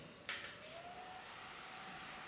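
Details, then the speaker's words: Titan TTC-SC60(B) caravan roof ventilation fan on 3rd of 6 settings, tested without rain on roof: soft steady airy whoosh with faint hum after a brief click, no rattle or wobble; a little noise starts here, normal operation. "So that's the 3rd setting where you really do start to hear a little bit of noise there."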